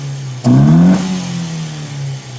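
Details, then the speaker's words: Datsun roadster with newly installed budget throttle bodies, fuel table tuned by feel without wideband, warm-up enrichment being adjusted: single sharp throttle blip climbs quickly and settles smoothly; runs crisp though acceleration enrichment still needs work. "So we got a little bit of Excel enrichment that needs to be worked on, but listen to that."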